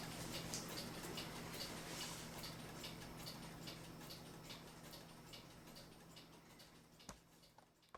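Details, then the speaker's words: Vintage United electric swinging bell clock after waxing the bell's wood block and oiling the movement: soft even ticking about four per second, no rattle or buzz; irritating noise gone. "so there you go we were able to quiet down the clock and now it's a really nice clock"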